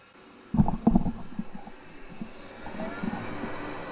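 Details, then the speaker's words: Vaillant 837 home boiler forced to high fire: deep rumbling bursts and uneven knocking, kettling as a blocked coil in the partly blocked main heat exchanger overheats and vibrates against the other coils. "okay so basically what you're hearing there is the coils vibrating where they're overheating within the boiler"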